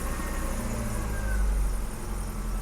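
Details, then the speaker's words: 1984 BMW 318i E30 that had sat for 4 years, running after a new battery was fitted: a low, steady idle with an even rumble and no hunting or misses; the new battery fixed the idle. "wow and replacing the battery fixed our idle listen to this thing freaking Idol Oh my God yes Epic let's look at this thing oh she is purring like a kitten folks"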